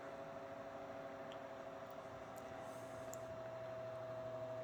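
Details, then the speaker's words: Vintage early-1970s Hoover 6710-12 12" two-speed oscillating table fan (Knapp-Monarch built), running while oscillating: a steady mid-pitched electrical buzz over soft airflow from a loose winding coil in the stator; windings otherwise in good shape. "You can hear that motor buzzing, like I said, with that loose winding coil in there. That's what causes the buzz, but the windings themselves are still in good shape."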